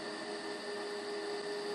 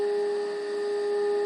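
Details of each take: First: Philco 90 radio under restoration, volume at full, RF generator test signal during alignment; faint steady 400 Hz test tone low under hiss and hum; weak signal from badly misaligned IF stages. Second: Philco 90 radio during IF alignment with test equipment, after resistor and speaker work; pure steady tone around 400 Hz, getting louder as adjusted, faint hiss: IF stage now properly aligned.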